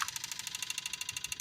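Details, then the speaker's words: Apple II Plus disk drive, after cleaning the read/write heads and lubricating it, booting a floppy: rapid, even ticking of the head stepping, about a dozen clicks a second, then it stops; the drive seeks and loads normally. "heck yeah that's what the sounds I wanted to hear before and it loaded sweet oh that makes me so happy so this drive is good"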